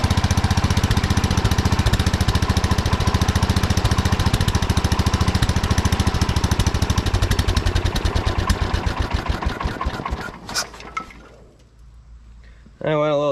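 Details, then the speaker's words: 1979 Kohler K301 12 hp single-cylinder mower engine after carburetor repair: fast, even thumping at a raised idle well above normal tick-over, then dies off; carburetor idle adjustment set too far, throttle shaft also affecting idle. "far on the adjustment there's a lot of idle I've been trying to adjust it the carburetor a little bit"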